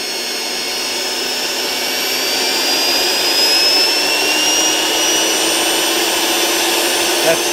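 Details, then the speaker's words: Perfect 10L commercial vacuum on a variac with replacement controller, checking for shorts: 4 A at 20 V, 5 A at 32 V, no fuses blowing; steady even whoosh and smooth high whine, no surging or crackle, normal at reduced voltage. "20 volts we're at 4 amps 5 amp at 32 volts so we're not blowing fuses we're not you know nothing like that"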